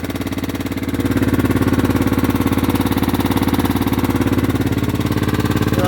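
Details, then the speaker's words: Old Husqvarna LR125 riding tractor after long storage, possibly overfilled with oil and smoking heavily: fast even ticking, three or four a second, over the idle; hydraulic lifters ticking. "Well, if this smoke clears away and the lifters quit checking, it's pretty good little tractor."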